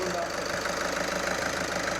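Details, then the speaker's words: Skoda Superb 1.6 TDI diesel after fitting new Continental injectors; even idle with steady light clatter, no skipping and no injector rattle, totally smooth, night and day versus before; normal diesel idle. "Totally smooth, ready to drive. It's not skipping. You can't hear a rattle from the injector."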